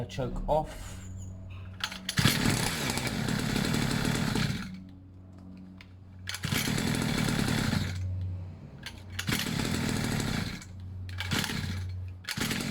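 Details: Two-stroke pit bike, fresh fuel, long unused, idle a bit weird: raspy revs in uneven bursts then sag to a rough unsteady idle; erratic running from slipping choke.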